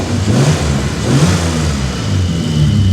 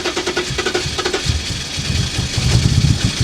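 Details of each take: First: BMW E34, after replacing the fuel pressure regulator, Bosch mass airflow sensor and idle control valve: steady, even idle with smooth rev rises and no knocks or misses; engine now runs healthy. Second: BMW E34 non-runner with fuel-soaked plugs, started on replacement test plugs in the rain: uneven, stumbling low thumps and surging; rough misfire. Timing problem or over-fueling suspected, coolant sensor unplugged to test.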